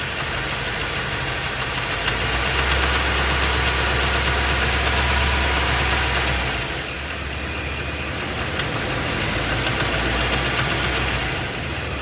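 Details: Ford F250 with 7.3L Godzilla gasoline V8, phone under the truck; idle, then in gear against the brake with a little gas, A/C off. Steady rapid knock, about three per second, harder under load; internal engine knock, engine being replaced.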